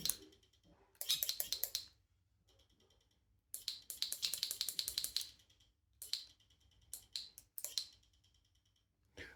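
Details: New Shimano RD-RX825 GRX 12-speed Di2 rear derailleur bench-tested out of the box; short bursts of fast light ticks after most shifts, then quiet; owner feared stripped pulley gears, but Shimano confirmed normal stock motor ticking.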